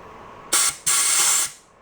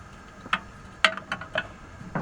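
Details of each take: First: 1949 Atlas Royal 1.5 hp outboard, estate-sale barn find, cooling water passage blown with compressed-air gun after digging out crud and gasket bits: two strong hiss bursts rushing straight through, no choking; passage is open. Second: 1949 Atlas Royal 1.5 hp outboard barn find, start with choke and more gas: after a few pulls it catches into a fast uneven putter, coughing and stumbling at idle; owner thinks the air-fuel mixture needs adjusting.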